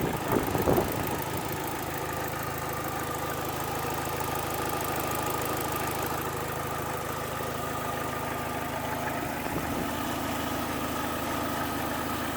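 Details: Opel/Vauxhall Astra H GTC 1.8 automatic petrol at idle: smooth idle with faint light ticking in time with the engine; cause not evident.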